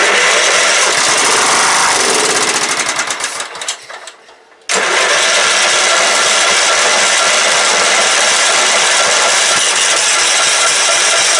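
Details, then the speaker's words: Late-90s Craftsman LT 1000 mower with a 15.5hp Kohler Command OHV single-cylinder engine, first revival attempt: after fuel is poured into the empty tank it catches after a brief stumble and settles into a steady, even run. "she's a runner she's a runner sorry I'm kind of excited"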